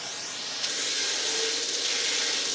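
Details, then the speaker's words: Numatic PPR370 commercial vacuum (2022), after the blocked hose was cleared by standing on it: strong, steady rushing hiss of air with no choking or whistling; airflow now 18-19 mph, full suction restored. "But nevertheless, I think we just fixed it by me standing on the hose. That's excellent news."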